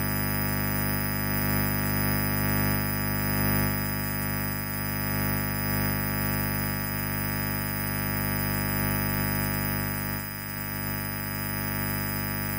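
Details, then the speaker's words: Microphone cable under test, the mic switched off and the channel gain set to 11: constant low mains hum with a faint high hiss; this cable is noisy and should not be used. "yang kalian semua dengar, kebisingannya memang sangat buruk, kan? Kabel mikrofon ini."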